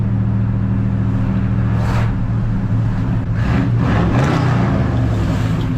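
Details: 1981 Chevrolet squarebody truck with new exhaust system, V8, driving through the suburbs: deep, loud rumble rising cleanly as the truck pulls away, no rattles or leaks; healthy exhaust note.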